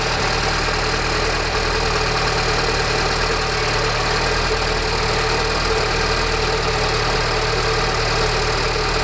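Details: Peugeot RCZ THP 200 at cold idle: a dense, busy rattle that doesn't let up. The source is unidentified despite a new tensioner, timing chain, sprockets and guides.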